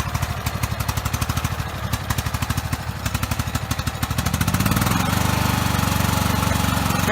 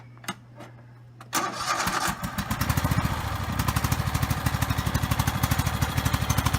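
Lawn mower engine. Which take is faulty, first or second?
first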